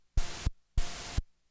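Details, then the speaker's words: Korg MS-20 with both oscillators turned fully down in the VCO mixer: two bursts of steady pitchless hiss with soft thumps at start and stop; the rumoured noise leak is actually the filter's noise floor, not an oscillator bleed. "since both oscillators are turned all the way down a lot of people think this is a bleed but the source of this noise is actually coming from our filters"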